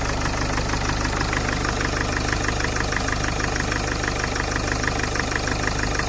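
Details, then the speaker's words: Citroën C8 2.0 HDI diesel with hydraulic lifter noise, starting after an oil-cleaner product and oil change: a fast light ticking, about three per second, over an even idle; the clatter persists, and lifters or rocker are suspected, not confirmed. "Ah, ça claque plus. Ça fait un gros bruit de claquement, mais bon, il n'y avait plus d'huile, plus nettoyant d'huile."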